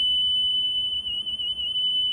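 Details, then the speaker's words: Nakamichi Dragon cassette deck during playback testing: steady piercing squeal near 3 kHz with a fainter higher whistle from worn capstan bearings that wobble as the pinch roller pushes the capstan shafts into them. "can you hear yourself? That's the sound of the warren bearings."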